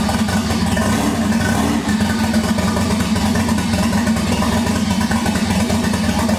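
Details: 1988 Supra with a swapped 1JZ-GTE VVTi, first start after a fuel-pump wiring fix; fires and holds a busy, even idle with steady mechanical clatter and no misses. Running normally after first start.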